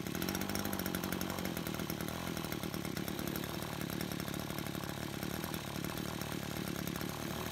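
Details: Brush cutter two-stroke after repair of a fuel leak from a split hose (it had stalled while mowing): fast, crisp buzz holding steady with no misfires or stumbles; runs clean and normal.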